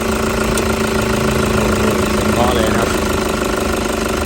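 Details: 2005 Toyota Fortuner diesel that had heavy white smoke on morning starts, after new injectors were fitted and registered: even idle with a steady hum, no knock or misfire, smoke gone.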